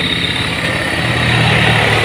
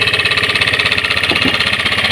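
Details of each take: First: Honda Scoopy scooter after replacing worn crankshaft bearings that caused rough noisy engine: smooth even engine hum at steady speed, no knock or rattle; earlier noise gone, engine healthy. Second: Honda Scoopy scooter engine with a rough-noise complaint: a fast, even beat under a loud metallic rattle and hum that follows the revs, diagnosed as a worn crankshaft bearing that is to be replaced.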